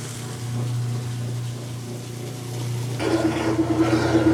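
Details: Kenmore washer running with the broken lid switch bypassed and the lid open: steady low hum from the heavy-duty motor, then sloshing as agitation starts. Wash cycle running normally after the fix.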